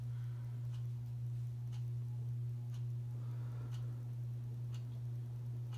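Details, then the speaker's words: SMC Scandinavian ceiling fan on high after blades were remounted: steady low motor hum with a light tick about once a second, mostly bearing noise, earlier grinding reduced; bearing noise drops at full speed, worse on low and medium. "all you hear is mostly bearing you don't really hear that grinding anymore"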